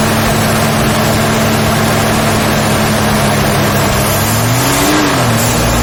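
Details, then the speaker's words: Very rare 1972 Ford Falcon XY 4x4 ute, running after being fuelled: quiet, steady even hum with a brief smooth rev near the end, no visible smoke; normal healthy running. "listen to it so quiet I mean does it even blow smoke like I don't see any"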